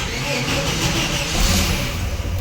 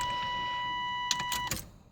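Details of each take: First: 1989 Chevy S10 4.3 TBI V6: uneven lumpy idle with low shudder pulsing few times a second, vibration at low rpm; owner suspects a misfiring cylinder, running rich or ring wear letting gas into oil. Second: 1989 Chevy S10, 4.3 TBI, with a low-rpm shudder and suspected fuel in the oil. At key-on the electric fuel pump whines about a second and a half then cuts off cleanly; injectors not leaking; normal prime.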